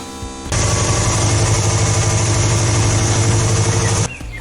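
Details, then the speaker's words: Peugeot petrol four-cylinder after a track day runs with an uneven, stumbling low beat after new plug and swapped coil pack: cylinder one misfire, suspected coil pack or, most likely, its wiring. "still not right so we've got a problem with either the coil pack or most likely the wiring to the coil [Music] pack"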